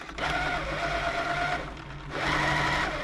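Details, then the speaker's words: Elna Club Computer 500, Swiss-made electronic sewing machine, probably 1980s, after service and reassembly, walking foot fitted; two smooth even runs with steady hum, no knocking or grinding, buttons working, runs nice as it normally does. "working still it's working buttons are good everything's [Applause] good brilliant sounds nice runs nice that one does normally run nice"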